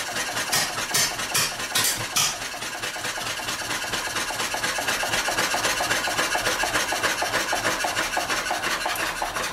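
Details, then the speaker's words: Old small engine running until its fuel is used up: uneven firing thuds, then a quick light ticking at about two per second as it sputters, hit-and-miss, and stops; fuel starvation misfire. "Well, she's starting to starve. Running out of fuel. Poor thing, running out of gas. Sounds like a real hit and miss now."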